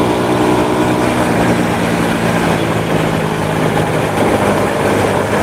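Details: Honda Supra motorcycle shipped in by cargo in a box, after workshop overhaul of a badly damaged engine; steady hum with even smooth beat, no knocks or rattles, rides well: normal running.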